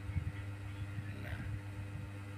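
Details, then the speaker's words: Polytron twin-tub washing machine whose wash side runs normally, but the spin dryer drum won't turn and only hums: a low steady mains hum with faint rattling and no spin whoosh. The brake cable being broken or loose is suspected, not confirmed. "Nah teman-teman ya pengeringnya ini tidak berputar ya"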